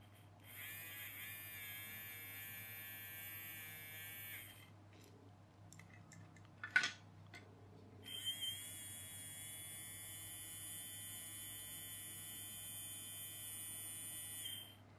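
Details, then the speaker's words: Small electric motor of a toy electric train spinning with a smooth, even, high whir after its stiff bearing was oiled; sounds free and healthy, though a split gear remains unfixed. "we'll put a little bit of oil on the bearing that sounds a lot happier"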